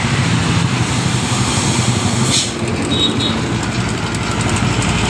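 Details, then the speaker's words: Honda Supra motorcycle, ticking began after an oil drain bolt was refitted: quick light ticking over a busy idle from the left engine side, keeping pace with engine speed, suspected to be a loose cam chain the tensioner isn't taking up. "baik-baik suara mengkritik di bagian pot dan mesin kirinya ini Ini kemungkinan rantingnya yang longgar"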